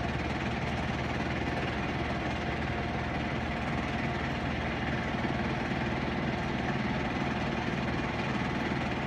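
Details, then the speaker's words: Whirlpool Duet front-load washer at full high-speed spin with a big load: steady deep rumble, even hum, slight load sway watched by the vibration sensor, no knocking or scraping. Healthy normal spin. "And here it goes. Ramping up, you hear it? It vibrates a little bit, like it's a big load, because you know, like I tell you about the sensor for the vibration."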